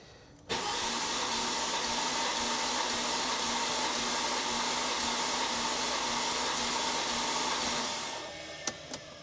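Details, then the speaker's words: 2005 Mercedes SLK350, roughly 220k+ miles, cranking during compression test (6–10 s per cylinder): fast even whir with weak compression pulses, no firing; compression low on all six cylinders. "but it just seems so low I mean the engine does have 267 trillion miles on her I don't know 220 something maybe I don't remember um but that just to me seems like low compression everywhere"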